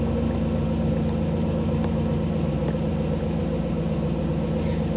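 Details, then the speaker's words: 1985 Chevrolet Camaro IROC-Z TPI with new engine build, cold and in open loop: even, steady idle with smooth low rumble, no misses or knocks; normal raised cold-start fast idle with airflow set higher, soon dropping into closed loop. "engine's uh engine is cold so things are are set up a little bit high i'm set up a little bit high airflow and such are a little higher than normal"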